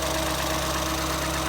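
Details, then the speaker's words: 2014 Ford Escape 1.6L after head gasket replacement, warmed up and driven: even, steady idle with a smooth mid-pitched drone, no misses or irregular beat; runs healthy, repair called a success. "not to jinx anything, but so far I would call that a success. Runs good. Drove it around, warmed it up a couple of times. Runs remarkably well."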